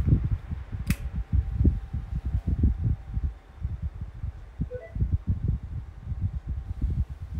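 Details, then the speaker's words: Kool-Flo SFC2-300B 12-inch high-velocity 3-blade fan running normally after its oil worked in; earlier bearing noise gone, steady air rush with faint even hum on low and medium, no hum on high, no grinding. "It no longer has that bearing issue now. Finally went away because the oil was kicked in. But it does have the hum on low and medium, but on high you don't have the hum."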